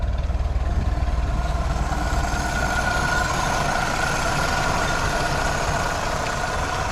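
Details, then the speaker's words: Original 1932 Ford Model B four-cylinder, warmed up after intake/exhaust manifold gasket replacement: an even, smooth idle with a steady low thrum, no vacuum-leak hiss and no misfire. Normal idle. "all right well it sounds like it doesn't have any vacuum leaks it's running pretty good"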